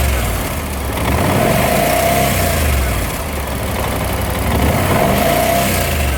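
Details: BMW C600 scooter engine: a light, fast clatter of about four per second over the idle that swells as revs rise; owner suspects timing chain noise.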